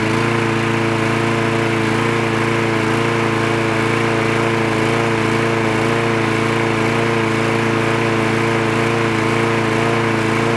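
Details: Craftsman lawn mower with the spark plug wire reconnected: a steady, even small-engine drone at constant speed with no surging or sputtering; the mower is running properly.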